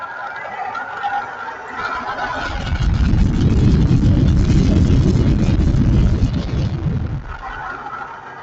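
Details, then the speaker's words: 1995 Ford Crown Victoria V8 idling: rough uneven rumble and knock from a bad water pump bearing, with the fan and pulley visibly wobbling. "so you can hear a weird sound and that's the bearing on that water pump"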